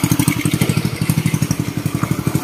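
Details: Customer's Indonesian Win single-cylinder motorcycle after engine rebuild, clutch rebuilt, idling: even steady putter about twelve pulses a second, no clatter or rattle; runs smooth and quiet with no clutch whine, normal idle.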